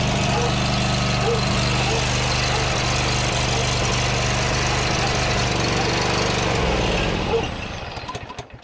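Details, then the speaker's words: John Deere GT245 mower, previously misfiring; fast, uneven, laboured chugging then dying out; rough running, owner suspects fuel-related cause or ignition key fault, unconfirmed. "She's running better, but she's still running terrible. I'm thinking it's fuel related, but she shouldn't be igniting."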